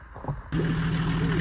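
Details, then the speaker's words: Volvo C303 (Tgb 11) 4x4 swapped from B30 gasser to Mercedes OM603 turbo diesel with Dieselmeken 7.5 pump, after fixing pre-chamber leak in cylinder 2: silent, then catches and settles into steady, even idle with firm low hum, no knocks. "And now it's back in and it runs like never before."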